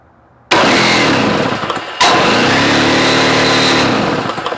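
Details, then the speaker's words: Two-stroke snow-thrower engine, water-contaminated fuel, gummed carburetor: catches briefly, sags and dies, catches again and fades; stalls after starting, suspected it may not pull fuel through carb. "Yeah, she might not. She may not pull through the carburetor because it's pretty, you know, definitely got gooled, but I think it's restorable."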